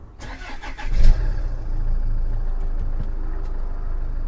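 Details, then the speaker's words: 2014 Range Rover Evoque first start after timing belt and water pump replacement, bonnet open, clutch pressed: short crank catches within a second, settles to smooth even idle, no knocks or misses; runs perfectly. "Right, runs perfectly. Good news."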